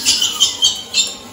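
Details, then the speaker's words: Cooking Chef mixer with silicone flexible beater, stir setting 1 at 180 °C, toasting risotto rice: shrill chirps about three or four a second as silicone rubs the cold stainless bowl; normal when cold, stops once the bowl heats. "Petite précision, si vous entendez votre batteur souple couiner comme ça, je sais que c'est désagréable, mais c'est normal. C'est le silicone contre l'inox. À froid, ça fait ce bruit."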